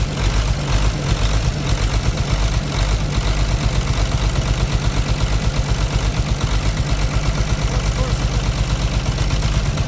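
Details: C13 heavy diesel with heavy smoke, idling with the cylinder head cover off and injector bolts loosened to test injectors one at a time: a lumpy, uneven chug of about two beats a second that stumbles now and then, a misfire.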